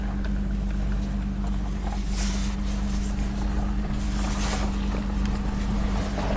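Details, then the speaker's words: 1998 Mitsubishi Montero Sport driving after timing belt repair (loose belt had let timing jump): steady, smooth drone at even pitch under load, no misfire, knock or rattle; noticeably more power, healthy. "Definitely more power. Gonna do burnout, at least on the gravel."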